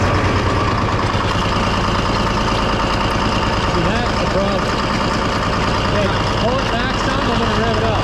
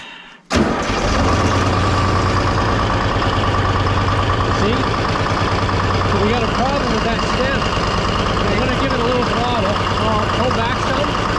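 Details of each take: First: Detroit diesel-powered car crusher at idle, hydraulic pump not pulling oil from the tank: a coarse, gravelly cavitation churn. Owner suspects the suction line or stem is plugged, possibly with ice or sludge, rather than the pump. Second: Detroit diesel car crusher running its hydraulic pump off a bucket instead of the tank: cranks, catches and settles into a steady, even idle with the pump pulling smoothly, no whine or chatter; pump fine, tank suction stem suspected blocked.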